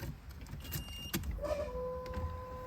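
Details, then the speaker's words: Nissan R33 drift car with a standard ECU fitted: after a click, a faint steady electric hum rises for a second or two; fuel pump priming normally. "it's got the fuel pump that is the fuel pump that sucks that means it's good"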